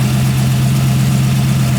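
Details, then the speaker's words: 1940 Ford Tudor with a rebuilt Turbo 350 automatic, new 2200-stall torque converter and adjusted carburettor float. Smooth, even low idle in gear with no knocks or surging: normal idle in gear. "show you what this looks like it goes into gear good no [Applause] issues"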